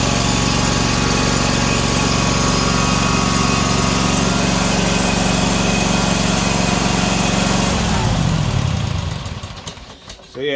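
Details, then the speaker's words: Ferris 1000Z zero-turn mower after repairing loose seat switch wires that caused a no-start: small engine holds a smooth, even note for eight seconds, then winds down cleanly at shutoff; running normally. "thing starts up runs perfectly fine the issue with this thing was just those wires going to the back of the switch here wasn't telling the unit that someone was sitting on the seat"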